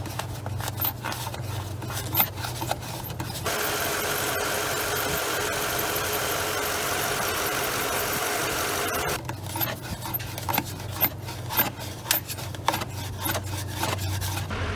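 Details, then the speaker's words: 2015 Toyota Tundra V8 running, phone recording before repair; irregular sharp chirps and squeals come and go, not steady like a belt; owner believes the fan clutch, not the belt, is squeaking, later replaced the fan clutch. "I'm gonna go ahead and show you some footage I took on my phone. It's not the best, but you'll be able to hear the squeaks that it was doing there."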